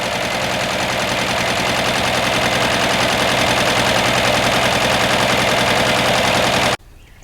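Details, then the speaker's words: 1961 Ford Falcon abandoned 15 years, first start after carb cleaner shot: loud, sharp popping idle with uneven stumbling beat about three pulses a second; rough idle, owner suspects a dead cylinder. "a hot dog would you look at that it even idles sounds like it might have a dead cylinder"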